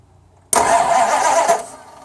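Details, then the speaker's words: 1987 Dodge W150 cranks for about a second with loud bursts but never fires; owner suspects a bad ignition coil or possibly the ignition box, not confirmed. "See nothing. Try it again. Nothing at all. So, alright, you can stop. So, wondering if that's the coil that's messed up, or maybe somehow, some way, some crazy way that the box went bad."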